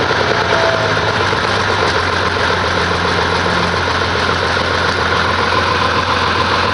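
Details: 1850 diesel tractor just back with rebuilt injection pump and new camshaft gear key: loud chugging idle with a slightly uneven beat; runs not quite right, owner wondering about valves after loose gear bolt ate the key.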